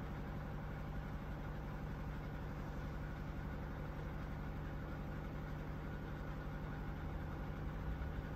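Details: QFlow 2.5kg compact RV/caravan/boat washer, spin phase: steps through about 500, then 400 or 300, then climbs to its 700 rpm final spin with long spins; low, steady hum with a soft even pulse, no knocking or grinding; normal spin.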